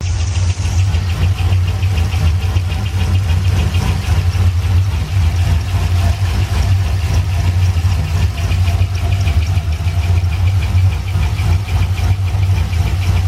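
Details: C6 Corvette at idle: a fast, light, regular tick over the low rumble, in time with the engine; a valve-train fault was suspected, but rocker inspection found nothing, and the owner now suspects the intake manifold.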